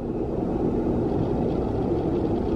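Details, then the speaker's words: Bathroom exhaust fan after the dead motor was replaced with a new replacement motor, adjusted to spin freely. A steady low hum with even airflow, no rattle or scrape. Runs normally after repair. "Alright, so I made some adjustments to make sure that it would spin freely in there. So I got the new motor, spins freely."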